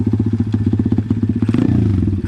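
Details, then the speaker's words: Pit bike with Nibbi PE26 (Keihin) carburetor, rejetted pilot jet: crisp, even single-cylinder idle then clean quick revs without stumble or popping; well tuned, needle could be adjusted slightly. "all right hopefully you guys can hear how that sounds um i think that's probably about as good as i'm gonna get it i mean i could probably adjust the needle a little bit but so far you know it sounds like it's running pretty"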